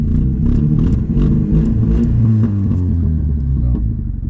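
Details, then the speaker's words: 2005 Cavalier after half gallon put in to clean out the fuel system, long idle: engine stumbles when throttle is jabbed wide open, revs rising and sagging unevenly instead of climbing cleanly; hesitation under wide-open throttle, owner hopes driving will clear the fuel system. "Whenever I jab it is whenever things happen. Just doesn't like to be ran wide open."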